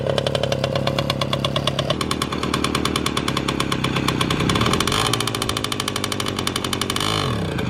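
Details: Motorynka two-stroke moped started after years of storage, no carburettor cleaning: crisp buzz rising and falling cleanly with throttle, no stumbling; runs normally.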